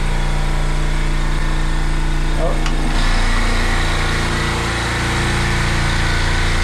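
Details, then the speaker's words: Midmark Power Air dental compressor running with a steady low motor drone and even pumping beat, one head not running. Air is leaking at the pressure switch, which is fed tank pressure through a hose. "all right I can feel the pressure switch leaking right here all right so we can go ahead and turn off the compressor I can hear it leaking right here"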